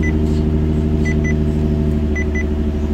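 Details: Nissan 350Z/Infiniti G35 idling after moving the brake-booster check valve into new silicone vacuum hoses: steady, even idle with no whistle from a vacuum leak, only a faint chime; brake pedal effort now easier.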